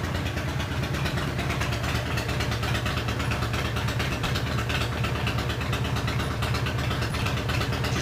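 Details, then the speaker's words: 2005 Harley-Davidson CVO Fat Boy back from a test ride around the block after replacing a stripped clutch hub, the clutch and the bearing; regular potato-potato V-twin idle in neutral with no clunks or rattles. Shifted right into neutral, and the repair was called a success pending a longer ride. "i'm gonna take her around the block let's hope we survive it's definitely working better than it was when i pulled it in"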